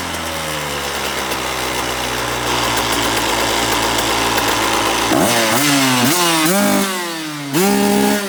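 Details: 2003 KTM SX85 two-stroke motocross bike; revs with a rough, rattly buzz over a steady, uneven idle, noise from the gearbox area. Shifting works fine; owner unsure whether gearbox damage or clutch.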